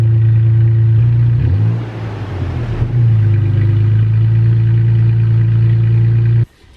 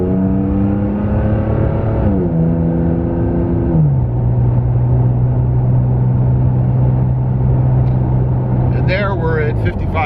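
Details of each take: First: Toyota Tacoma with MBRP aftermarket exhaust, cold start heard from outside: catches, flares briefly, then settles into a deep, steady, throaty burble. Normal cold start idle. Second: Toyota Tacoma with an MBRP aftermarket exhaust, recorded in the cabin cruising at 55 mph: a constant low droning hum at one deep pitch with road noise, exhaust drone at cruise.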